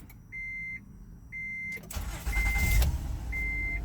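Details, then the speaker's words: 2013 Honda Odyssey after valve adjustment (almost all valves found very loose), misfire repaired: two cabin chimes, brief crank, clean catch into steady idle with no stumble and no engine lights; normal start. "start right up running smooth run smooth no engine lights no nothing that smooth smooth"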